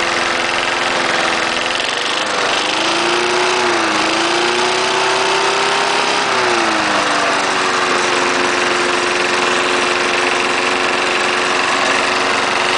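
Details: 1974 Snapper lawnmower, single-cylinder, started cold right up after fresh gas in a bone-dry tank: crisp steady buzz dipping briefly with throttle play then even; runs great, no stalling.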